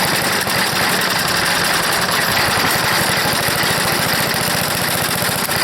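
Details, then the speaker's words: Old, long-unused wood chipper engine, choked at full throttle, with heavy compression: it chugs with a loose, irregular, uneven rhythm and smokes; it runs rough, and the owner suspects a bad float and a dirty carburetor needing cleanup, with fuel leaking. "this whole beast it's a smoker but it runs and i think i need a carburetor cleanup"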